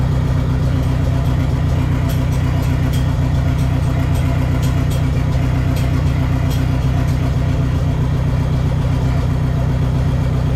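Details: Neon SRT-4 first start after clutch master cylinder replacement and new plugs gapped at .032: steady, even low idle with a faint regular patter over the top, no misses or knocks; normal idle, clutch still needs more bleeding.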